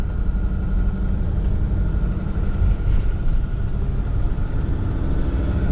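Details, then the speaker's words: 2003 Mercedes Sprinter diesel van on a test drive after repairs, accelerating: deep diesel rumble under road noise with a steady faint turbo whistle as it spools; healthy boost, no whine or rattle. "turbo sounds healthy coming on. Huh? The turbo, you can hear the turbo whistle. Yeah, It's it's- healthy."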